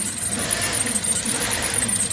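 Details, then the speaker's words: 2007 Chevy Tahoe 5.3 during a cold start: a thin, high whistling hiss rides over the idle and is heard on one side, a vacuum leak at the intake manifold gasket; the gap expands as the engine warms. "And in my case, it's going to be my um um intake manifold gasket. And you can hear it."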